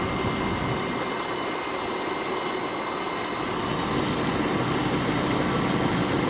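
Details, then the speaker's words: BMW X5 M62TUB44 V8 idling just after timing chain and guide replacement, first start in months: smooth idle with faint fast chain rattle and a thin steady whine of unknown source that was present before the repair; slight, barely audible. "definitely hear the chain rattle a bit and so that I'm not sure what that wine is but it had that before"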